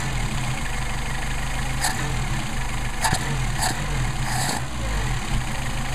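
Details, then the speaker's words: Mercedes 190SL with rebuilt Solex carburetors: steady low idle with quick throttle blips rising cleanly and settling straight back; crisp, healthy response. "very nice drivability or well yeah very nice response i should say um you are good to go"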